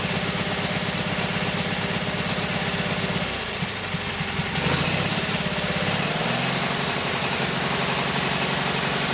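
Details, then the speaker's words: Kohler KT17 twin on first start after rebuild (lost governor), oil pressure 50; chugs evenly with steady beat, dipping and picking back up midway, runs pretty well overall; carburetor still to be tweaked, max speed to be set around 3,000–3,600 rpm. "So not sure what Kohler says for this engine, 3,000, 34, 36, whatever it is, that's what I'll set it to. She runs pretty good."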